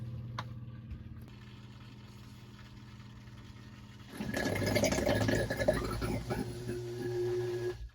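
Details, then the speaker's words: Sump pump in a closet during a sound test of a sump pump cover. Steady hum, then a sudden louder slurping, gurgling surge as the water level drops and the intake is exposed, before cutoff. Gurgling when the intake is uncovered. "Alright, so now it's going to start exposing itself, and then that's when it starts to make noise. I just wanted to show you what it sounds like."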